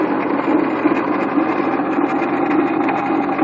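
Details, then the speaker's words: 1997 Honda Accord, loud constant gritty rattle and grinding from the pulley side at idle, steady with engine speed; water pump bearings probably bad, water pump found to be the problem. "All that rattling and stuff you heard was the water pump. Bearings probably went bad, and that thing is just terrible, man. It sounds horrible."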